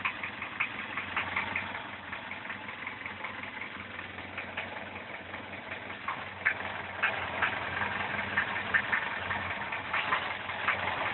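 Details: Engine after chain tensioning and valve adjustment: over a quiet idle, a sharp, uneven ticking knock about two a second, louder toward the end; strong knock appeared after the work, chain stretched but a tensioner extender fitted, source unknown.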